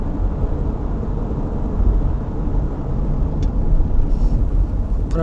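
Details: 2000 Toyota Sienna at speed after rear shock absorber replacement to cure a rear spring rattle: only steady road rumble and tyre noise, no rattles or clunks from the back; normal ride, no suspension rattle.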